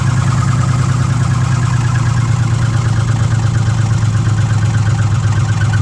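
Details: 2006 Ford F150 5.4L V8 with code P0016, bank 1, at idle during a warranty inspection: steady idle with a fine rapid chatter from the valve train on bank 1, around cylinders 2 and 3.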